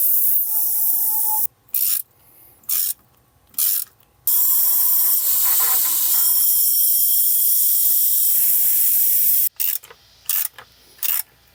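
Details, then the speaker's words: 1991 Cummins Big Cam NT88 with a take-apart aftercooler, pressurized with shop air and holding 30 lb boost: steady high-pitched hiss with brief pauses. The leak was an intake boot not seated correctly. "air all right so I am holding 30 lbs of boost pressure the leak up there ended up being the boot that wasn't quite on there correctly"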